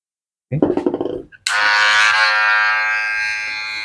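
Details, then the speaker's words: Wahl Magic Clip cordless clipper after a motor repair, with grease on the cam and a foam damper added to cut noise: it runs with a steady, even buzz and no rattle. It is fairly quiet but not like new; fully quiet would need a new cam follower unit. "jadi bunyinya lumayan senyap. Jadi setidaknya dia bisa ngatasin bunyi bising. Tapi enggak 100% juga dia bunyinya seperti baru."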